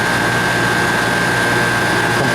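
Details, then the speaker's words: R22 condensing unit after repair for water in the lines, at 246 head and 67 suction, with a cool suction line, lukewarm liquid line and good amps. Steady hum with a constant high whistle and no knocking; it is running normally. "come back and check it in a few minutes okay this system's doing pretty good"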